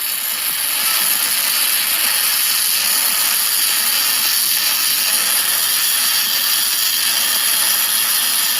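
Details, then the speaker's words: ArcCaptain MIG 250 running MIG spray transfer for repair welding on a Caterpillar grapple bucket, a high-heat mode with deep penetration and shielding gas: a smooth, steady hiss with no crackle or popping, even throughout; normal spray transfer arc. "Now, the spray transfer is a lot of heat, offers a lot of cleaning action, and really it's a way to push MIG and get very deep penetration, very clean weld, and running your shield gas on there and really cleaning it out."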